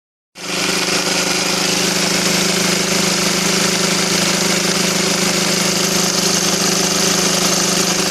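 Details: SsangYong Kyron diesel idling with a hard, steady knock near four a second over the clatter; cause found on removal: the crankshaft damper was empty, and refilling it with transmission oil stopped the knock.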